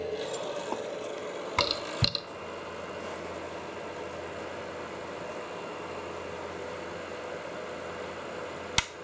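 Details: Creality CR-10S 3D printer being serviced: steady airy whir with a faint hum and a couple of sharp clicks. The noise comes from the loud cheap power supply fan.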